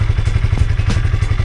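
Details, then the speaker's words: Honda CB150R single after more than five months running 100% cooking oil instead of engine oil, at idle: an even, low thudding exhaust beat with no knock or tick, so the engine sounds smooth and healthy. "Nah itu Mbah suaranya Suara mesinnya setelah lima bulan lebih menggunakan minyak goreng suaranya halus Mbah tetapan suaranya halus dan saya kira masih sehat-sehat saja Bah mesinnya"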